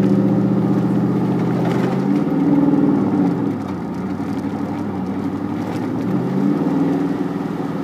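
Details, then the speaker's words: Vehicle engine idling with a loose, uneven rattle that rises with the revs; owner first suspected the transmission or transfer case but says it is in the engine; cause not confirmed. "There it goes. That's in my engine though, that."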